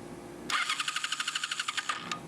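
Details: 2007 Ninja 250 with charged battery, no fuel moving through the vacuum petcock, petcock position uncertain: starter whirs about 1.5 s with uneven chugging around nine beats a second, then stops without catching. Rough crank, no start; clogged petcock suspected, not confirmed.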